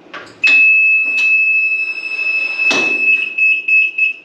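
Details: EZGO golf cart after fitting more parts: a steady high-pitched buzz comes on and holds for several seconds as reverse is selected, with clunks around it, so this is the normal reverse warning beeper.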